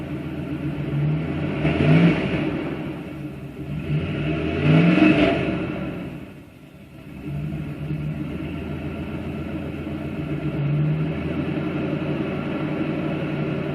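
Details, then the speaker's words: 1997 Dodge Dakota 5.2 V8 after replacing rotten muffler with inexpensive Lawson two-port muffler joined to single exhaust pipe: two clean throttle blips returning smoothly to idle, no rasp, rattle or leak; normal exhaust note. "Okay guys, that's the sound of the LAWSON muffler with a 2-port exhaust connected to the single pipe exhaust."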